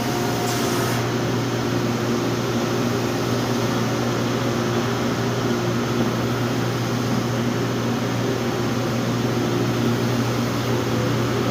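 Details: Pneumatic wide-belt sander with air-tracked belt, sanding panels, final pass at 180 grit: steady low hum with soft constant air hiss from the belt-tracking sensor, no knocking or grinding; running normally.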